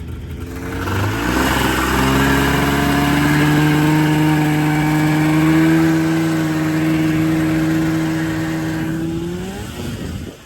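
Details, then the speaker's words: Rebuilt Tornado snowmobile two-stroke with new top end: crisp howl climbs smoothly, holds steady high pitch under throttle, backs off cleanly; pulls strong and healthy. "This is it. We rebuilt the sled and it works. The tornado sled actually freaking works."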